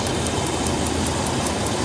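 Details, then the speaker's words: 2000 Dodge Ram 3500 van, 5.9 engine, warmed up: sharp even ticks about five a second over a steady idle, from an aging EVAP purge solenoid mounted to the body behind the driver's side, echoing like engine tapping. "that little selenoid as it gets a little age on it that selenoid is tap tap tap tap tap when you you if it's mounted to the body it starts echoing through the body and it sounds like the worst tapping sound you've ever heard"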